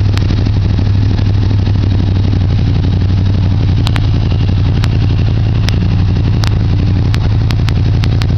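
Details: Suzuki Gladius motorcycle with Two Brothers aftermarket exhaust, started to let the pipe be heard: steady deep engine note with sharp irregular pops and crackles from the pipe; cause of the crackling unknown.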